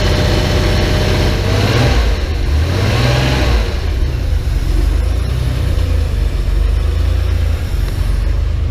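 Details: Porsche 911 flat-six restarted after 10 years of storage, with a new fuel pump and filter, a temporary fuel supply hose fix and a cleaned tank. Settles from blips into an even, steady idle with no stumble or knock, smoother than expected; normal idle.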